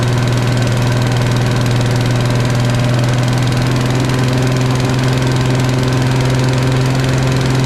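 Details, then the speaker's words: Briggs & Stratton single on Agri Fab Mow & Vac leaf vacuum, sat a year, after valve adjustment to about 25 psi compression and carb/fuel work: strong even beat at steady speed with no misses or surging, running smoothly. "oh well that runs really nice I'm kind of shocked"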